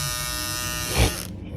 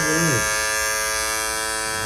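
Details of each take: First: Andis GTX-EXO T-edger clipper after repair, broken blade-holding bracket replaced with new part and blade gap removed: clean, even high-pitched buzz with no rattle or chatter before switching off; running smooth, normal. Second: Andis GTX EXO T-edger clipper after reassembly: steady high buzz then wind-down; visible gap shows blade out of place and too loose.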